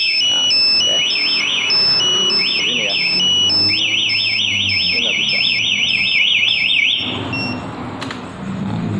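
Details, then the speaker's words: Aftermarket smartkey alarm on a 2020 Yamaha NMAX: with the remote away, ignition switched on and starter refusing for 10 seconds, a loud high warbling siren sweeps up and down for several seconds then stops; anti-theft alarm triggered. "Selama 10 detik dia coba starter seperti itu nggak mau, di kontak on terus, maka dia akan darurat dan di sini juga akan respon getar dan darurat juga."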